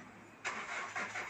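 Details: Hyundai Grand Starex D4CB diesel with hard starting and low power: starter cranks the engine over in a few slow, even pulses with no firing; cranks but won't start, cause suspected, not confirmed.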